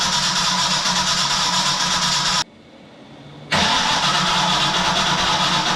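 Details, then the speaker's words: Long-stored project car (about 11 years): two long stretches of steady cranking without throttle, engine never fires; crank no start, suspected distributor phasing issue since the intake limits distributor rotation. "now without any pedal just go ahead and crank it oh there might be a phasing issue of the distributor"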